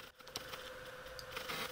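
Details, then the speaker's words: Sony FE 50mm f/2.8 Macro lens autofocusing on a miniature model: faint buzzing with scattered clicks and short grinding bursts as focus hunts, the lens's known normal autofocus noise. "this lens is known for its distinctive autofocus noise you could hear the buzzing the grinding the clicking for video recording"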